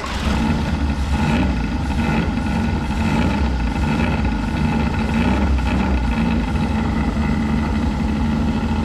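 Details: Abandoned 1983 Mazda B2000 carbureted four, engine was a little stuck, running after revival with the carburetor fed through the vent: steady, even hum with no knocks or misses, smog pump audible, quiet like a sewing machine, smokes a little. Normal running.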